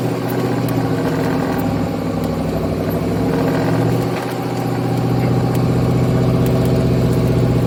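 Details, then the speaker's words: Ford Mustang GT with a 4V engine swap, about 50 miles on the build, on its first longer drive to seat the rings: a deep, even V8 burble swelling slightly as revs lift, no ticking or knocking. Runs healthy. "It sounds happy, it sounds pretty good."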